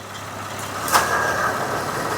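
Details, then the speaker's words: 2007 Honda Odyssey at idle, about 12°C: crisp click as the AC compressor clutch engages after replacing the failed AC clutch relay, then idle holds even; compressor runs and cycles normally. "let's plug the relay into the relay Center can hear the compressor running well let's evaluate the AC system now"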